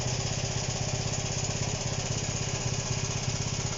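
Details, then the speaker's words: Honda CB125 RS, carbureted, running with no air filter fitted and the air screw adjusted, spark plug very black: steady, slightly lumpy idle at about four beats a second with a sooty uneven note; running rich. "the plug is very black and i've tried to mess with the air sentence but there's no air filter in it at the minute"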